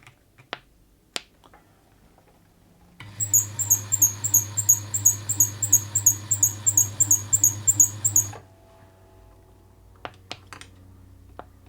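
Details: Bernette 50 sewing machine in for service after lack of maintenance, running very noisily: a sharp, high squeak repeats about three times a second with each stitch over the motor hum. Squeaking mechanism.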